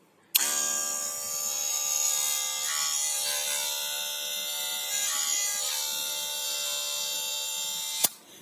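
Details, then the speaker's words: Wahl Super Taper cordless hair clipper switches on with a harsh, loud, rattly buzz; the first suspected cause is a loose or worn blade seat (cam seat), with a blade that was knocked or dropped or a broken tension spring as other possible causes. "jadi bunyi berisik pada mesin cordless itu bisa disebabkan karena banyak faktor yang pertama adalah faktor dari dudukan atau bagian Cambridge yang sudah longgar atau sudah Aus"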